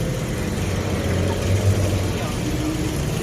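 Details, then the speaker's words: Nissan Almera after replacing one ignition coil and the EGR motor for codes P0400 and P0302, which caused shaking and a check-engine light; now a low, even idle with no misfire or shaking, and the codes are gone. "ตอนนี้เครื่องยนต์นิ่งคิดแล้วที่ทันรอบหน้าไปดูนะนอกกันเนาะอ่ะหมู่บ้านเครื่องแล้วนะเครื่องนิ่งแล้วไม่มีฉันแล้วครับ"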